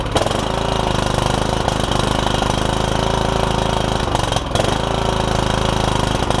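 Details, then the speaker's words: Kohler Courage single-cylinder on a Troy-Bilt Super Bronco lawn tractor with a cracked block, first start with fresh battery and gas, hood off; fast lumpy uneven chug with a brief stumble, rough running. Owner suspects it needs carb work. "you have a runner sounds like I might need a little bit of carb work"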